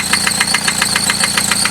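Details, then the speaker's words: Car with 95k miles idling with a sharp metallic knock about seven times a second from the engine; internal failure confirmed by metal debris and chunks found in the oil pan. "so we started rock and it's idling rock and now you can hear there's that knocking sound coming from that area"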